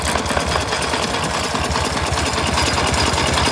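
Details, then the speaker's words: K750 motorcycle, owner hearing strange bangs seemingly from the air filter; at idle a busy, slightly uneven two-cylinder beat with no distinct knock above engine clatter, the knock almost inaudible; running normally. "Кто специалист, послушайте, скажите, серьезно там что-то с двигателем или это просто мои ощущения такие. Это нормальная его работа."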